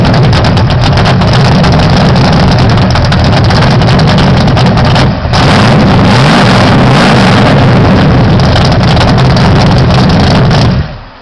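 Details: 1978 Pontiac Phoenix with 355ci small-block Chevy V8, 650 Proform double-pumper carb, Vic Jr intake, 3-inch pipes into 5-inch race bullets: deep lumpy idle loping and surging unevenly during a quick tune; carb still needs final adjustment, rough idle cause unconfirmed.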